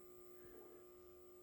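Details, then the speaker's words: 100-watt amplifier powered up, microphone close to the power supply choke: steady quiet mains-rate buzz with a mid-pitched tone from the vibrating choke. "and if you get close to this choke you can hear the buzzing coming from that choke"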